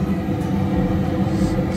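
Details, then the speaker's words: American Standard high-efficiency furnace: the inducer motor now runs with an even, steady low hum and no rubbing. It had failed to start because a small pine cone was stuck in it. Running on heat stage 2. "so you can see the this is now working before it was not making that noise going to pressurize whatever it needs to pressurize"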